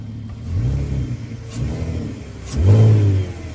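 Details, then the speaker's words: Audi 3.2 V6 quattro donor, 155k, cold start: loud, open, chuffing rumble with short blips from a blown exhaust; no dash lights. "So just while I finish the TFSI conversion, it's got a blown exhaust on it."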